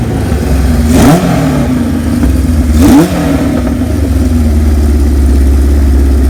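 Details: 1978 Kawasaki KZ1000A with four-into-one exhaust, estate bike, cold-blooded on a cold day; two sharp throttle blips about two seconds apart rise and fall cleanly over steady even idle; four-cylinder sounds healthy.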